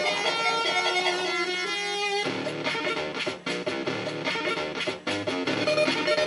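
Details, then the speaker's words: Commodore 64 running the Donkey Kong arcade port: the game music plays with harsh, buzzy, wrong-sounding voices and smeared notes from a faulty SID sound chip, later swapped for a known-good SID for comparison. "that's not sounding correct that's screwed up sounding"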